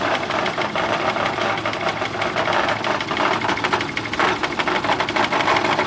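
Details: Nearly new Yamaha F70A outboard that began knocking after reverse was engaged at full speed, run without its gearcase: steady running with a sharp, rapid ticking knock even at idle, origin not yet found.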